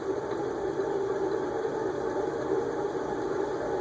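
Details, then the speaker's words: Modern Fan Co Cirrus 52-inch brushed aluminum ceiling fan with K55 motor, run on high via solid-state speed control: steady even whir and mid-pitched hum with moderate bearing noise, neither especially loud nor quiet; capacitor untested. "and you can probably hear the bearing noise I we definitely had fans that are louder um but we've definitely had fans that are quieter too"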